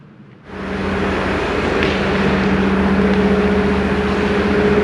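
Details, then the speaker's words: Hyundai Kona Electric with 30,000 km, slow-speed road test after the gearbox repair, on summer tyres in snow; a low, even hum with no grinding or whining, the original roar is gone and it sounds normal. "Je roule maintenant et on n'a pas de bruit, mais ça ressort surtout bien à vitesse lente et,"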